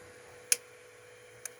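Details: Tronxy XY2 Pro Titan 3D printer, owned since late April: two sharp isolated clicks over a faint stepper hum, filament moving back slightly with each; owner suspects a faulty extruder.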